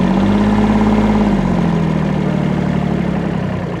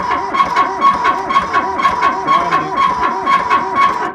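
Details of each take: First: Kubota B7100 diesel tractor with loader, after about 10 years in a collapsed barn, after fan belt change: steady diesel idle with an even beat, pitch dropping slightly as it settles; runs smoothly with no knocks or squeals, all gears work. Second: Kubota B7100 with loader, left about 10 years in a collapsed barn, first crank attempt: a rising-and-falling squeak about twice a second in step with slow cranking; owner suspects the hydraulic pump, not confirmed.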